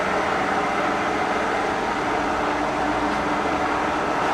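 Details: Restored K&T milling machine spindle running: steady whir holding one pitch with no knocks, rattles or grinding. Running smoothly.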